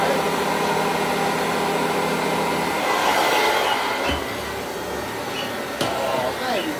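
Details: Hoover Junior 375 upright, 1950s–60s, stored in a loft for decades, after a bag cleanout, new belt, brush roll bearings and new brushes: a steady motor whir with a soft brushing swish on carpet, no rattles. It vacuums and grooms well.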